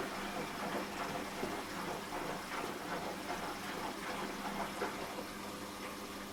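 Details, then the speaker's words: Washing machine after fitting a replacement drain pump, water filled to the bottom of the drum and pump triggered on spin: steady rushing, gurgling water over a low pump hum; the new pump moves water normally. "There we go, pump's working. Right, fit the pump and it should be working now. With a bit of luck. See, it fills and drains now."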